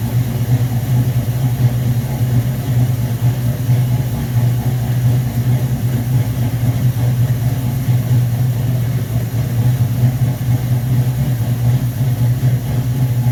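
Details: V8 on first start after rebuilt 1969 Corvette Rochester Quadrajet 7029202, bowl damaged by ethanol fuel and cleaned: deep steady burble, even firing, no stumble or miss; normal idle.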